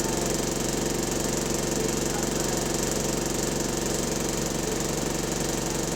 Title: Engine Rod Knock, Lost Door Buzzer | GAL SE101 On Bus Route 469 (3)